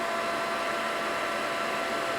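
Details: Propane Mosquito Magnet that hasn't worked since its last refill, tank opened slowly because too much flow shuts it off: steady, even fan rush at a faint fixed tone while waiting for the ignition valve to click. Ignition fault suspected, not audible.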